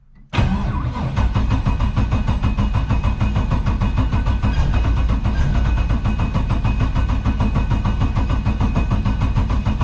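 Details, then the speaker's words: LS7 V8 in an S14 comp car, sitting about 3 months, being serviced and readied for flex fuel: starts straight away after the kill switch is turned on and settles into a lumpy but even burble on all eight cylinders. Normal start and idle. "Alright, that all seems pretty tickety-boo, so happy with that. Doesn't even sound, it actually sounds like it's running on all 8 too, so that's a bonus."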